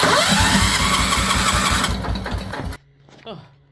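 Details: 1973 Wheel Horse tractor, 10 hp Kohler, rebuilt engine, new fuel pump, points and condenser, after a temperature drop, choke closed: strong, even cranking at about four turns a second, never fires; cranks but won't start.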